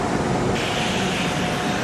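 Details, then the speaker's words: Cement plant bucket elevator head, running: a steady, dense rumble with even chain-and-sprocket meshing and no doubled clack, meaning the sprocket and chain pitch are good. Normal. "On a un engrainement bien régulier qui veut dire que le pignon est bon, que le pas de la chaîne normalement est bon aussi."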